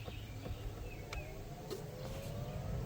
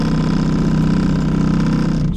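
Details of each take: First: 2012 Toyota Sienna, newly replaced blower motor on high: it spins up smoothly with a soft, low whoosh of air and no rattle, squeal or scrape. Quiet, normal operation; only the air moving is heard. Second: 2012 Toyota Sienna dash blower: loud steady droning hum with a rough warble; owner thinks the blower motor has seen better days and replaces it.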